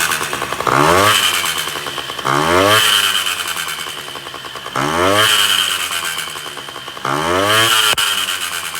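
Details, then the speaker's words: Honda Dio 34 two-stroke scooter after 30–40 km ride: screams and chatters harshly on throttle blips; owner first suspected exhaust or variator; cause was a failed small-end needle bearing with piston play. "двигатель ни с того ни с сего за прям газу даешь он прям орёт стрекочет Я думал блин то ли глушитель пробился то ли что"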